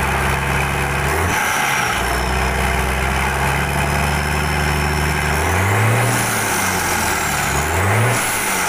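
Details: Mitsubishi Fuso 6D22 build-up diesel truck engine tested after repair/service, before fitting into the chassis: strong even idle rising cleanly on two quick blips and settling back, no knocks or misses; healthy.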